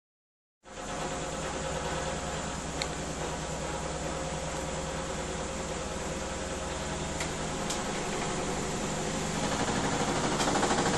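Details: Miele W 5963 washing machine slowing down from 1600 RPM spin: steady whirring drum hum with scattered sharp clicks and a rougher, louder stretch during spin-down.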